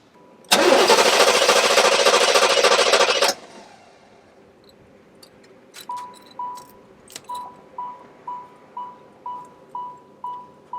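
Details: 1986 Chevrolet Corvette, after adding five gallons of fresh gas: about three seconds of steady cranking with no catch, then silence and door chime ticking; won't start, fuel pump not running, fuel pressure to be checked.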